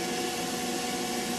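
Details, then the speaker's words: 1962 Loewe Opta Optacord 412 4-inch portable reel-to-reel recorder (AC bias, AC erase) during a recording test: a faint, steady high squeal sits over the even running hiss. The capstan motor still squeals slightly. "you maybe would hear the motor still does squeal a little bit but it's hopefully not as bad as it was"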